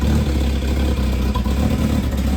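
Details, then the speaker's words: Ford V8 with old twin exhaust (fitted around 2007): deep, loud booming rumble swelling with revs after muffler replacement; sound comes from holed, rusted-out front resonator leaking, to be welded up. "It actually kind of sounds the same. The resonators make a mixed noise. That's where all the sound's coming from."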